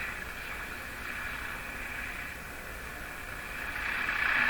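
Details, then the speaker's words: Philco Model 24T five-tube radio during alignment, antenna installed: steady hiss with no clear program, swelling slightly, noise picked up while tuning between stations, raising the rectified IF output voltage; radio static noise while tuning. "This is a demonstration of the problem today. Here's a noise. It produces a higher voltage."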